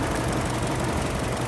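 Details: 2008 Mini Cooper with an intermittent cylinder 4 misfire at idle: rough, uneven idle whose loose stumbling beat keeps breaking rhythm. Injector firing, spark plug and coil replaced, 205 PSI compression and 13% leak-down; cause still unknown.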